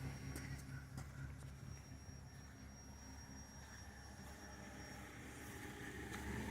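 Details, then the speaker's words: 2002 Ford Crown Victoria 4.6L V8 with 103K miles, intermittent cold start around 50°F. The idle bogs and chugs unevenly, nearly stalling once the gas is released, and it smells of unburnt fuel; idle air control valve suspected. "see minute i let go of the gas it starts to bog and then it shuts off"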